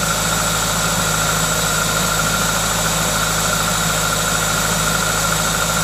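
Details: Toyota 2ZZ-GE engine with an induction kit at idle: smooth, even idle with steady intake hiss from the induction kit, no knocks or misses; normal idle.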